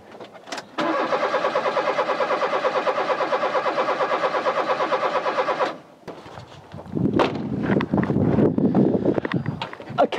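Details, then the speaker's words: Rover 216 Cabriolet after a distributor rotor change done in the dark: starter spins the engine at an even two beats a second but it never fires; there is no spark because the ignition coil lead was left disconnected. "that spark so probably the coil's failed let's try a quick spark test"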